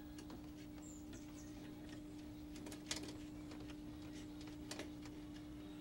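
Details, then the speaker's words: 1960s RCA CTC16 color roundie TV under restoration, warmed up and during setup: audio far too weak, only a quiet steady low buzz with faint ticks when it should be blaring loud; cause not yet found. "Yeah, there's something majorly wrong with the sound. Hear how quiet the buzzing is?"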